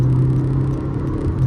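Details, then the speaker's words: Honda WR-V RS, naturally aspirated engine with CVT, pulling away in D with a little more throttle: steady low drone and whine from the drivetrain, typical of a healthy CVT. "So obviously you can hear the CVT whining sound. This is very typical that you can get in naturally aspirated engine paired to a CVT gearbox."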